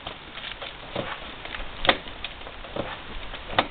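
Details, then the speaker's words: Yamaha Venture touring motorcycle after hitting a pavement buckle at highway speed, rocked by hand in the garage: irregular dull clunks every second or two, suspected play somewhere in the rear drivetrain/drive shaft. "so now that we're home here in our garage with all the tools I'm going to dismantling we're going to find out what that noise is so so if you have this if you take your bike and you do this what I'm doing right here and you hear this noise"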